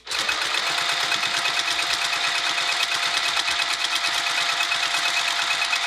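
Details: Sewing machine stitching a Spring Roll Pouch: fast, even stitching at about three beats a second with a slightly hard, clunky tick on each stroke; a dull needle or dry mechanism is suspected, not confirmed.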